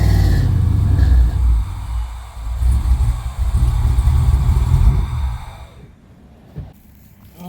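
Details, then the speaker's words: Chevy S10 with a muffler newly installed at a muffler shop, being backed off the trailer; it has no cooling system, so running is kept brief. A short rev gives a deep, even rumble that settles to a low idle. Exhaust sounds sound and leak-free. "now, let's just see what it sounds like as I back it off the as I back it off the trailer."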